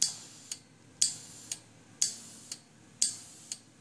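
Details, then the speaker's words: Homebuilt ROV ballast system, solenoid releasing air from pressurized inner tubes: sharp click once a second with a short hiss trailing each; pneumatic air leak. "you can hear it leaking out select release of the air"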